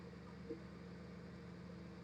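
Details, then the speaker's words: Maruti Suzuki 800 carburettor model, previously missing with starting and low pickup complaints, after repair: soft even exhaust putter at idle at the silencer, earlier tak-tak pulsing gone; running smoothly. "നേരത്തെ നമ്മൾ കൈ ഇങ്ങനെ വെക്കുന്ന സമയത്ത് എന്ന് അടിക്കുന്ന ഒരു feel ആയിരുന്നു ഇപ്പോൾ ആ ഒരു സൗണ്ടോ കാര്യങ്ങളോ ഒന്നും ഇല്ല"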